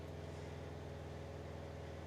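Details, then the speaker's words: RV or trailer water pump during de-winterizing, after flushing the antifreeze with cold and hot water and with air in the lines: low, even electric hum with no knocking or surging as the pump normally rebuilds water pressure in the pipes. "Quand je vais entendre le bruit de la pompe, là, j'entends la pompe qui fonctionne. Fait que là, est en train de remettre la pression d'eau dans dans nos tuyaux."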